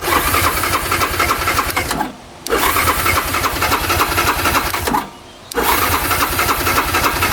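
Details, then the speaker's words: 2009 Yamaha Grizzly 550 EFI ATV: steady starter churning in two long bursts at about three to four turns a second, never firing, with the engine light on; a crank-no-start, cause unknown, and the throttle cable is frayed. "But it'll crank and crank and crank for days without doing anything. And this is EFI, so it should fire up right away."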